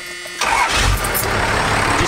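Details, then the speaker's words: Roughly 750,000-mile non-intercooled 12-valve Cummins diesel truck with new battery: short crank, catches immediately and settles into an even, steady idle with no misses, shakes or rocking, sitting dead still; a healthy start. "Just beautiful, purrs like a kitten. Like no like odd shakes in the engine, no like odd rocks or, I mean, it just sits dead still."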